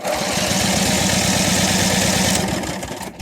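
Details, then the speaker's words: Mid-90s Cub Cadet 1641 with Briggs Vanguard, sat 3 years, solenoid jumped with screwdriver, carb dry; even chugging crank about four compression pulses per second, spins down without firing; cranks with compression. "Oh, she cranks, she's got compression. That's good news."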